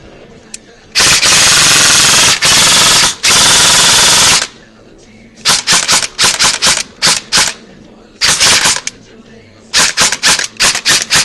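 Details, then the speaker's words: Echo1 Troy airsoft gearbox with 16:32:1 speed gear set, re-shimmed to one shim after too-low pinion mesh: crisp, even full-auto bursts with clean starts and stops, no high-pitched gear whine; normal cycling. "drop it down just a little sounds good don't hear high pitch or anything"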